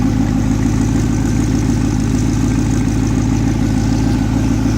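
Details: Stock LS2 from a 2006 GTO with 20,790 miles, running on an engine stand with the stock fuel system and an old 98 Camaro exhaust after 9 years wrapped in plastic. Deep, even V8 burble with no knocks, ticks or misses; normal idle.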